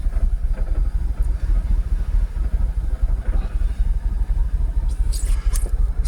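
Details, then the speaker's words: Jaguar XKR (X100) after dropping from closed loop to open loop: low, uneven, lumpy idle close to stalling, with pending multiple-misfire codes and restricted performance returned; rough idle, cause not confirmed. "let's see if we'll read um fault codes while the engine's still running M multiple sisire multiple multiple misfire oh no restricted performance is gone again"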